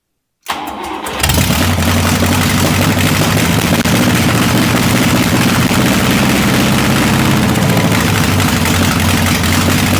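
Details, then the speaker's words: Buick 401 Nailhead rail dragster, first fire: catches after brief crank, settles into loud, steady, lumpy idle, no misses or knocks heard; owner thinks it ran on fuel already in the engine and suspects a fuel delivery issue, stuck needle and seat. "I think I think we just got a fuel delivery issue because we wanted to run there for a little bit on the gas that was in the engine"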